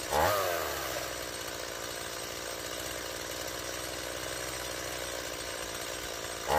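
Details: Stihl MS170 two-stroke chainsaw after replacing the fuel line and fitting the original Zama carburetor in place of a non-adjustable Chinese copy: steady, even buzz holding speed with no stumbling, surging or misfire. Previously it wouldn't start; now it runs very well.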